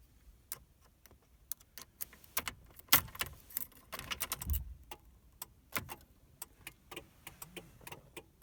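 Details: 2000 Mercury Cougar after battery replacement, won't crank: scattered quick clicks in irregular bursts on door opening or start attempts, no engine at all; PATS immobilizer fault, fixed by a new key fob battery and locking and unlocking.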